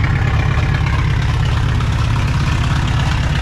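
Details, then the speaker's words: 1960 Pontiac Ventura, 389 two-barrel V8, parked 24 years: loud deep uneven lopey idle like a big cam or a 7-cylinder; cause not pinned down. Rough idle. "still plenty loud it sounds like a 7 cylinder tractor it sounds like it's cammed but it's"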